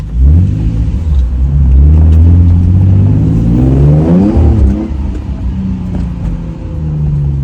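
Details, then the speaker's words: Nissan 350Z test drive after replacing a faulty fuel injector that had made it run rough and lose power: engine climbs cleanly through the revs without stumbles, with sharper throttle response, running smoothly on all cylinders with full power. "and right off the rip the throttle response is night and day difference [Music] compared to last time oh yeah running much smoother now"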